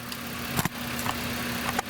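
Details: 2010 Chevrolet Impala 3.5 L after purge solenoid replacement fixed high fuel trims (now about 3.9, near 0), idling: quiet, smooth, steady idle with a few handling clicks, no hiss or hunting.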